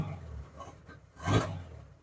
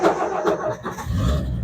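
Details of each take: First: 1963 Ford F-100 step side, cold start with choke after sitting a week: uneven lumpy roar surging and dying back irregularly, smoking; runs rough until warmed up. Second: 1963 Ford F-100 step side, unstarted for about a week, choke applied, out of gear: brief crank, catches within a second, settles into low steady rumble. Normal cold start; later runs a bit rough and smokes until warm.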